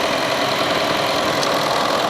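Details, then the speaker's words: Honda City engine running with AC on after radiator fan motor repair: strong, even rush of air over quiet idle, no rubbing or ticking; both electric cooling fans working properly again and AC cold. "นี่นะครับทำงานแรงดังปกตินะก็กลับมาเย็นเหมือนเดิมแล้วนะครับทำงานทั้ง2ตัวนะ"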